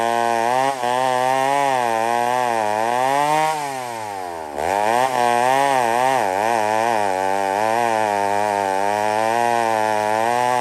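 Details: McCulloch 1-71 chainsaw with major carb upgrade, intake double-gasketed to fix an air leak; after repair it revs high, bogs into the cut and climbs back crisply, pitch following load smoothly. Normal running under load.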